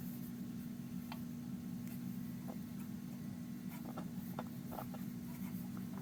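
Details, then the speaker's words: Detrola 4-D tube radio just after its three electrolytic capacitors were replaced, powered at about 115 V with no antenna connected: a faint steady low mains hum and no station audio. "I'm now right at about 115 volts is what this thing calls for. Yeah. I'm at least getting hum."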